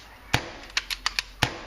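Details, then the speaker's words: J2L paintball marker: crisp, quick deep pops that cut off cleanly with no chuff or hiss, showing a properly balanced, correctly tuned marker. "I've got a uh j2l on top of it this is what a j2l sounds properly"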